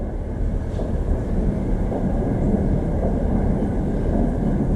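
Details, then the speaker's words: Honda CBR1000RR, just rebuilt with new head gasket after coolant leaked into oil, idling about 1500 rpm: steady low drone with faint occasional dull booms, a valve-train knock later traced to a displaced valve keeper. "think that's what you're hearing that boom I think that's the engine knock"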